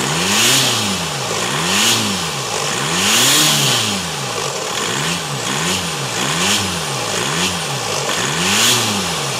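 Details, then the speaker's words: VW Lupo 1.9/2.0 TDI diesel (~400hp build) with MuchBoost GTB3073 VKLR big turbo, large intercooler and new 100mm intake: repeated clean blips with strong turbo whoosh, no knocks or misfires; normal start and revving. "adică mi se pare că arată foarte frumos uh, uh, admisia și sună și foarte bine, după cum o să vedeți imediat."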